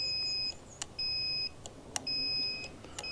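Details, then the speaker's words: Aquahot 400D RV boiler relay, its burnt contacts filed: the multimeter continuity beep cuts in and out in four short bursts over about three seconds. The contacts connect only intermittently, when wiggled or pressed hard. This relay is the suspected culprit. "Now multimeter when it has continuity you'll hear that sound. And the problem is that when I test the leads on the back I have if I push that I have no continuity."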